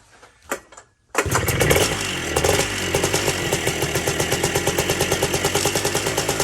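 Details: Two-stroke ATC three-wheeler that was seized half an hour earlier, freed with plenty of lubricant in the top end: it starts on the first pull and settles into a crisp, even popping idle of about three beats a second. Runs fine.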